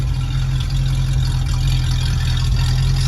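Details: 1966 Ford Mustang 289 V8 coupe, automatic, revived after 46 years in a barn, fitted with new exhaust; the new alternator is making noise and will be returned. Steady low even idle rumble, nothing sharp on top, exhaust quiet and healthy: normal idle.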